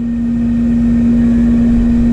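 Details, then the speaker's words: AC condenser after refrigerant charge, about 75 psi suction and 235 head: steady loud droning tone over even fan whoosh; condenser fan motor bearings don't sound healthy. "she'll get a little life off that motor the bearings don't sound too healthy but it's clean"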